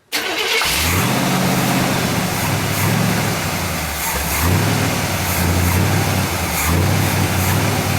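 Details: 1959 GMC pickup, 327 small-block Chevy V8, first start in 15 years, brake cleaner sprayed at the carburetor base: rough idle lifts and sags as it hits; vacuum leak at throttle shaft or base gasket, carburetor to be removed and rebuilt.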